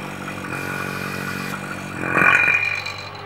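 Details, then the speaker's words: Vacuum pump on a home-made valve-seat vacuum tester sealed with an O-ring. A steady motor drone with a whine settles at maximum vacuum; with the valve closed there is no leak hiss, so the system holds. "okay oh there you go so this maximum vacuum close the valve and no leakage"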